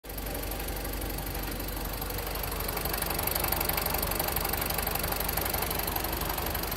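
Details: BMW E46 with N42B20A engine at idle: quick fairly even tapping about four times a second over engine hum; owner unsure whether it is a problem or normal.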